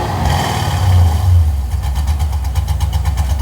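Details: Car that had died and wouldn't fire up, cranked right after a part replacement: catches with a few uneven low pulses, then settles into a running idle with throttle blips. Running again.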